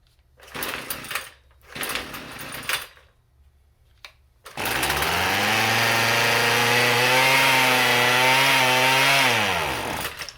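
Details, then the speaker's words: Husqvarna 128CD curbside trimmer, first start with choke, blue smoke: a few pulls, catches, revs and hunts unevenly about five seconds then dies; won't run with choke off, surging then stalling. "Yeah, a lot of surging and then just sort of dies immediately. Ain't the best sign."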